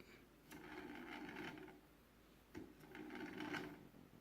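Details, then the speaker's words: DJI Inspire 1 v2.0 front red motor fitted with new Inspire 2 (1345 LS) propeller mounting plates: two slow bursts of dry rasping rattle when turned by hand, because the supplied foam insert was missing. "alright here's another one DJI prop noise DJI inspire 1 with the new 1345 LS propeller mounting plates got it today install them all new nice easy install but here's what I get"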